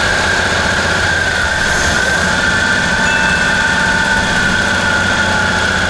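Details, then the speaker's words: 1954 Chevy Bel Air six-cylinder runs rough with a steady squeal, kept going only on fuel poured down the carb. The fuel pump is suspected of not working well; oil on the rockers is not yet confirmed. "i'm gonna say the fuel pump ain't working good"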